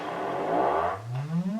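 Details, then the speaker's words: Celestion Ditton 25 T1600 woofer, stored 28 years, played an audio sweep: a rough, scratchy grating appears as the spider is pushed off-centre either way, which is voice coil rub, silent once centred. "Now if I move this the spider very slightly towards me eventually it will start grating like there. You can hear it grating there. And if I move it slightly away from me now it's grating on the near side."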